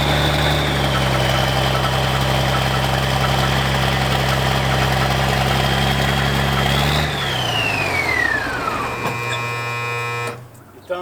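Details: Old military diesel vehicle on its first start after sitting 10+ years, helped with ether: a steady, even idle with a constant low drone for seven seconds, then it shuts off and winds down cleanly.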